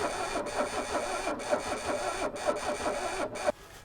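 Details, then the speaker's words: 1984 Mercedes 300SD turbo diesel five-cylinder, first start in years on jump pack, cranks slowly with uneven dips and stops after 3.5 seconds without firing; diesel reaches all five injectors but cranking speed too low, needs 200–300 rpm more. "all right so car's just not turning over fast enough we've managed to get diesel to all five injectors"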